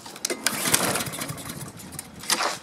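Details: Husqvarna self-propelled mower with Honda engine that owner could only start by tipping it; a few quick rattling recoil pulls that never catch or fire; no spark, the kill switch is grounding the coil.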